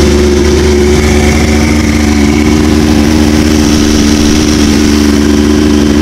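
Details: OMC Johnson 175 hp outboard on dyno at full load: flat held-down drone that never climbs, power pack forcing slow/limp mode; customer's symptoms had suggested fuel starvation.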